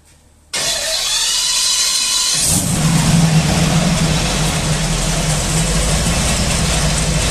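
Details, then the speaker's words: Meteor Interceptor at its first complete-drivetrain test: starter whirs, the big engine catches and settles into a smooth idle with a faint valve-train tick heard outside the car, quieting as it ran; healthy. "If you're outside the car at idle, you can hear the valve train mechanism a bit, but we're not too worried. It got quieter as it went."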